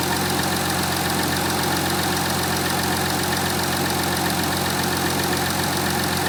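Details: Audi A5 3.0 TDI V6 diesel (CKVC, 2015, 180 kW/245 PS), cold start after about 24 hours standing: steady, even diesel clatter at idle, no knocks or misses; normal, stock-condition engine noise.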